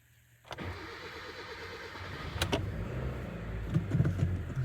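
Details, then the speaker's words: Hyundai Elantra G4FG 1.6 port-injection engine, two cam phasers, 214,000 km, manual, burns about 1 L oil per 1000 km: starter whirs about two seconds, catches quickly into steady idle; normal cranking and start. "запустилась так сразу же передачи пятая заднее всё"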